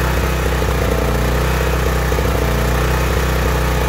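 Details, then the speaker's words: Small engine or generator running steadily with a throaty, slightly uneven drone, described as a sound from the throat with a hoarse noise mixed in: lean running. "if I had to explain what a lien sounding engine would be it would be more of a sound coming from your throat with the horse noise mixed in"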